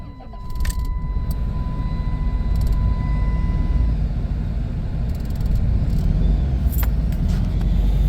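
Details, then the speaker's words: 1997 Dodge Caravan LE after fitting a brand-new coil pack to replace melted ones: engine catches then idles lumpy and stumbling, check engine light still flashing, still sounds like a miss; ignition coil pack misfire, root cause unresolved. "feels like it's stumbling still no still got a flashing check engine huh that's weird sounds better though make sure the wires are all on there right yeah still sounds like I got a Miss"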